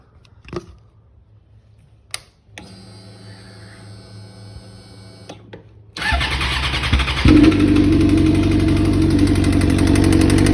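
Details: 2007 Suzuki GSX-R600 starts and idles with a steady deep knock about three per second; owner suspected cam chain tensioner or valves, but bearing material in oil confirmed a spun bearing, engine replaced.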